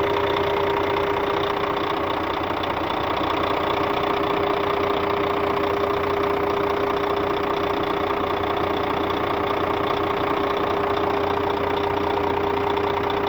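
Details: Scania K400 bus, DC13 13-liter 400 hp diesel at normal operating temperature: steady idle with a regular tap about two and a half times a second over a constant hum; customer-reported strange engine noise, cause undetermined.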